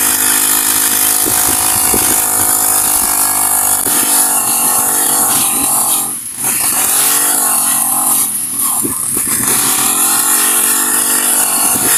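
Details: Honda GX35 four-stroke grass cutter, after cleaning its dirty carburetor (stalling/no-start fault): high steady buzz dipping briefly with throttle and recovering cleanly; idles and revs without stumbling.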